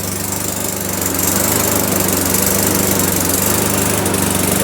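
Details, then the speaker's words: Self-propelled auction mower with non-adjustable, likely plastic carb, freshly cold-started: steady, even hum with no knocks or misses while the drive engages, enough for wheel spin. Running healthy. "Oh, it's going. It is going. Do the drive work. Unbelievable."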